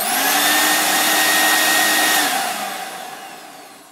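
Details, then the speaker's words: Premier Clean NV200 ducted vacuum unit, 14 years old, after failed motor replaced with upgrade motor and exhaust extension pipe: clean, steady high whine with smooth airflow rush, then even wind-down when switched off; healthy. "working as you can see the unit's working and we'll put the lid back on and return the unit to the customer"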